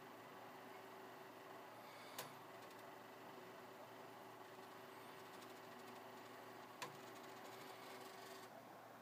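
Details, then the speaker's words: Prusa V2 3D printer converted to dual direct-drive extruder, extruding 50 mm of filament; faint steady hum from the extruder motor for about eight seconds with a couple of light clicks, quiet healthy feed. "I'm going to extrude 50 millimeters of filament. So, and you'll hear how quiet it is."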